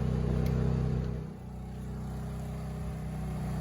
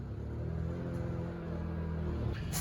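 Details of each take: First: Honda EU2000i inverter generator, rebuilt after carb gaskets were refitted in the correct spots, carrying a 1500 W heater for about 10 minutes: a steady, even hum with no surging or stumbling, and the LED is not fading. It runs normally. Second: Honda EU2000i inverter generator in eco mode, just rebuilt, under a 1500 W heater load: low drone wavers and dips unevenly, engine struggling, power kicking out and stumbling on itself; runs fine unloaded; carburetor gaskets fitted in the wrong spots.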